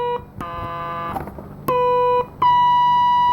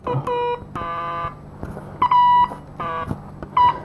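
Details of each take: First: Transistor tester on a card from a 1964 IME 84 transistorized desk calculator with germanium transistors. Clean steady beeps near one kilohertz with no warble or dropouts: the sound of a good transistor. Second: Transistor from a 1964 IME 84 transistorized desk calculator, checked with an audio transistor tester against a known-good one: uneven buzzy beep bursts instead of the good part's steady tone; transistor bad.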